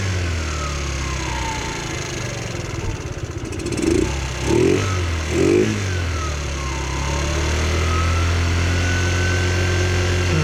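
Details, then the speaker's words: Chinese GY6 scooter warming up with the rear tire turning, after the performance air filter was refitted: a few throttle blips, then an even steady drone with no knocks or misses; idle slightly low, running fine. "Now this is the warm-up. This is the warm-up period. All right, the Chinese scooters, unfortunately, this is what this does. The back tire turns so it warms up."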